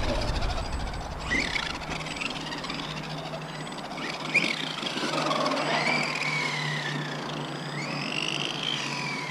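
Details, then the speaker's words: Arrma Outcast 4S BLX RC car running on 4S after the slipper clutch was tightened; harsh high whine sweeping with throttle over a rattly clatter, far louder than the owner's 3S; owner suspects bad gear mesh or the controller. "he still sounds super loud man I don't know man the gear mesh is bad or something man something ain't right"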